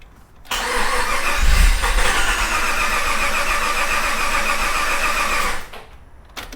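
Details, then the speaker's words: Project vehicle first start attempt after 2.5 years of work, starter fault checks being disabled in the ECU: starter cranks about five seconds, never catches, no fuel pump hum; fuel pump not running. "Okay, the fuel pump's not running. Why is the fuel pump not running?"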